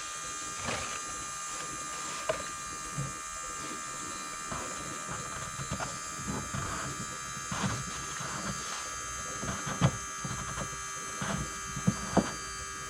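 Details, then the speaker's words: John Deere 410K backhoe at 1000-hour service, ignition on to prime fuel: steady electric hum with faint irregular gurgles and light ticks, bubbles heard as fuel returns; normal priming pump operation. "so we'll do that a couple of times so the pump shuts off and then it'll be good all right so now you can tell it just got fuel you can hear bubbles in the"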